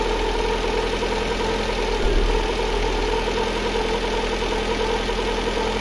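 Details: Lada Granta 8-valve after an engine repair with the valves faced for proper shim clearance: a steady, even idle with none of the earlier ringing or knocking. Sounds healthy.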